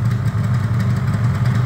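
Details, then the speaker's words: Yamaha RD350 LC F2 two-stroke with 13k miles, being warmed up: crisp, even idle burble with a steady beat and no rattles, clunks or knocks; normal idle. "hopefully you can hear that no rattles clunk bangs anything and it smells absolutely Divine in here"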